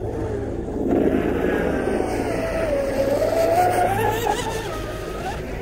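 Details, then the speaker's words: Pro Boat UL-19 RC hydroplane, first run after rebuild with Castle Hydra XLX2 ESC and SMC packs: at full throttle the motor whine wavers and dips instead of climbing cleanly, a power cut of some kind. "I'm gonna try to get it closer so I can listen to it it sounds like a power cut which it is a power cut of some kind"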